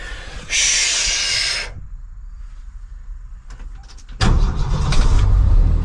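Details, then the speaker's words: Ford straight six truck, just fitted with a remanufactured AC Delco starter and started after sitting: the starter whirs briefly and the engine catches quickly into a steady, even idle as oil pressure comes up. "listen come on oil pressures there it goes that sounded pretty good didn't it"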